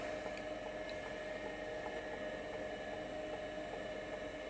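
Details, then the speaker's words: Seagate ST-277N 65MB 5.25" SCSI drive running as ST-277R RLL with ST-251 board, past cylinder 500: quiet spindle hum with even clock-like head ticks, bearing nice and quiet; healthy despite a few defects. "This thing sounds great. Hopefully you can hear it. The bearing is nice and quiet."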